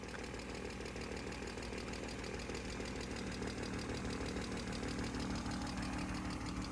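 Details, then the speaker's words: 1995 BMW M3 inline-six idling cold after sitting unused, light quick ticking chatter over steady engine note; lifter chatter hoped to unstick with use, plus an exhaust leak near the manifold. "But not the first time I've heard an inline 6 BMW have some lifter chatter"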